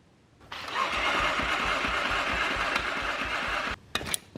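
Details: 1981 Yamaha XS650 with Supertrapp side-exit exhaust, first start in freezing cold: catches, runs about three seconds with ragged uneven thumps, then cuts out; carbs need re-tuning; hard starting, engine barely runs.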